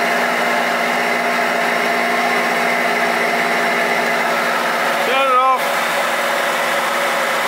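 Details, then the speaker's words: 2009 Holden Barina 1.6L with U440E automatic, wheels spinning on a hoist. Noise is on the left side and present both under load and coasting in neutral. The CV joint looks out of balance, and the wheel bearing gives a steady grumbling growl: a worn bearing. "but the wheel bearing over here is real grumbly and noisy"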